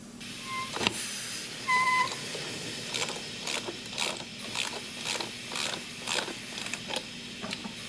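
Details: Mitsubishi Evo with AGT red engine swap during a pressurized boost leak test: repeated sharp hissing puffs about twice a second while pressure is applied; air escaping at the intercooler pipe clamp, a boost leak.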